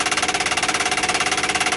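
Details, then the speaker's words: 1959 Ford Galaxie Fairlane 500, engine off, battery just connected: rapid even tinny buzzing about fifteen pulses a second from the dash clock's auto-rewind; stopped by unhooking the clock's inline fuse. "this is the rewind on the clock that's making that noise so we're gonna go ahead and see if we can figure it out"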